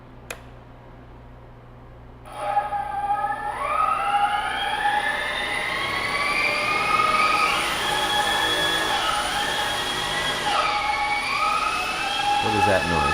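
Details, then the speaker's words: Heavy-lift drone on flight test, motors spinning up: several whining motor tones rising and wobbling unevenly, not holding steady speed; dead battery suspected, unconfirmed; abnormal motor noise. "that noise? That's a weird noise. Okay. I think that battery might be dead."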